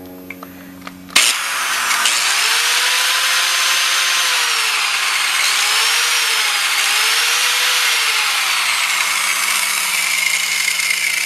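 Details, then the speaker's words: Angle grinder of about 5.5 A at 120 V, roughly 600–700 W, powered from the Trace Xantrex SW4048 48 V pure sine wave inverter putting out 122 V AC. It spins up sharply to a steady high whine and holds speed with no bogging. Normal running. "very good I'm happy and the inverter that's no problem this is this angle grinder is about 7 cm it is five and a half amp"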